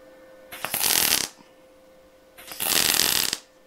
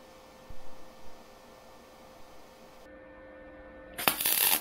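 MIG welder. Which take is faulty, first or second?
second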